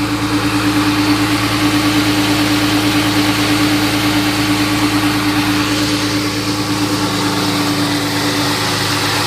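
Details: 1999 Mustang V6 after swap to a 3.8 engine from a 2000 Mustang, new valve cover gaskets, just after first start: smooth, even idle with steady low hum, no knocks, ticks or misses; engine sounds healthy.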